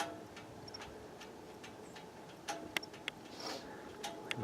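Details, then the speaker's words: Car stopped after driving a while in New Hampshire mountains: a few scattered, uneven light metallic ticks in quiet, happens every stop after driving; source unknown. "but do you know what this sound is that my car makes it makes it every time I stop after driving a little while"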